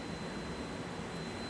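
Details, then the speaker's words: Server rack signal processor (RSP) with redundant hot-swappable power supplies: steady piercing high-pitched squeal over cooling-fan hiss, the power supply failure alarm, which stops and green LEDs relight once the replaced supply's power connection is restored. "You'll hear the high-pitched squealing go away, and you'll notice that the green LEDs will be lit again."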